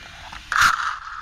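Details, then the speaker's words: Rlaarlo AK787 RC car, dual ESC and motor setup on 3S, after crash: short scraping burst then high whirring fading away; Loctited grub screw fell out so pinion spins freely on motor shaft; pinion gear slipping. "I lost the grub screw out of the wow, and that was Loctited. Yeah, it's just a spinning. That's why it's making all that noise."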